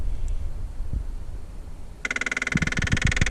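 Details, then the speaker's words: 2008 Toyota Sienna, key on and fan running; selecting floor or defrost gives a rapid, uneven clicking grind of about four knocks a second from the failing heater blend door control motor; driver's foot heat stopped working. "you can hear a really bad grinding sound. Okay, if we go to the floor and the defrost, anything trying to go to the floor, we get a weird sound."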